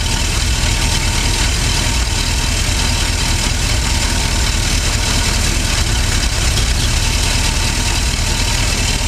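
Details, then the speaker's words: Ford 460 V8 (70s/80s) in a pre-runner: deep loose idle that lopes and stumbles, rich and rough during mixture adjustment; float level suspected then found fine, cause unclear. "There, hear the idle drop, half a turn back."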